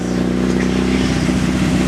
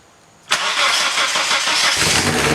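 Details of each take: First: 2nd-gen Mitsubishi Eclipse, crashed around Christmas, just restarted after repairs with an exhaust leak present: a short strong rev with a smooth even exhaust note and no knocks or misses. The engine sounds good. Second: 2nd-gen Mitsubishi Eclipse, crashed around Christmas, start after repairs: cranks, catches, settles into a loud raspy idle with puffing, ticking blat. A big exhaust leak is heard, and white smoke is seen.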